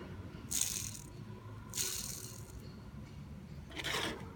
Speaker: bunu şu şekilde Sökelim gördüğünüz gibi içinde hiç yağ yok